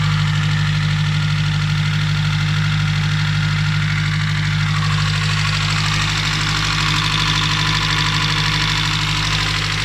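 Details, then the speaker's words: Nissan Primera P11 with SR20DE engine at idle after an oil change: a soft, uneven knock about twice a second over the engine hum. Owner attributes it to the hydraulic lifters and thick oil. "Вот отсюда звук. Гидрокомпенсаторы. Масло густое."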